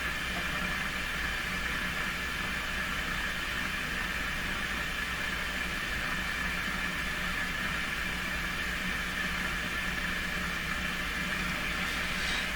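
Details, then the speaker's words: Nordmende Caruso console radio, FM IF alignment with vintage Heathkit sweep generator at 10.7 MHz: only steady hiss with faint fixed tone, no test signal; suspected weak signal injection or IF alignment far off. "that means a couple things one is uh this whole setup is not working that's probably the case probably where i'm trying to bring the signal over it's just too weak from this kind of arrangement here"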